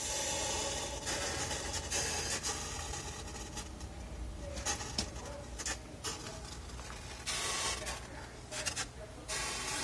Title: Strange noise coming from fridge